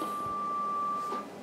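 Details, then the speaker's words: Yaesu FT-101ZD Mark III, 40 m heterodyne oscillator after freezer spray on the crystal: a steady test tone holds briefly, then cuts out abruptly. The crystal has low activity, so the oscillator stops or fails to start when the radio is cold. "and it stopped so freezing the crystal shows that uh there is a problem there low activity uh from time to time when the radio is cold"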